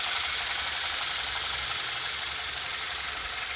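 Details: BMW E46 318i (N46B20A) at idle: light, sharp ticking at about three per second from the intake area, not noticeable when driving. Owner suspects the CCV; there is also high oil consumption and blue smoke at idle.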